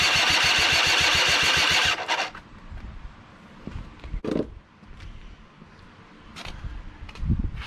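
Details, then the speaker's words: Small engine machine, sat since at least last fall, on ethanol-free gas, after swapping starter and Bendix gears: fast even cranking for two seconds, a catch or two, then dies; carburetor suspected of not getting fuel. "got it to turn over got it to fire a couple times now we'll work on the carburetor"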